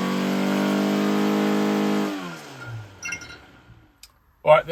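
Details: Ford Crossflow engine on a dyno, built with twin 40 DCOE carbs (30mm chokes), Vulcan modified head, Kent 224 cam, +0.110 pistons, testing 39 vs 55mm ram pipes; strong steady high-rev note for two seconds, drops off cleanly; healthy full-load pull.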